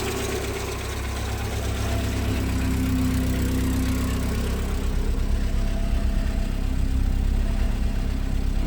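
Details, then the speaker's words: 1990 VW Golf Mk2 with a low, lumpy, pulsating rough idle that never settles. The owner suspects a failed temperature sensor or switch, since unplugging it seemed to improve the idle somewhat. "all right so i'm pretty sure this rough idol is i think it sounds like a trash can it's so bad"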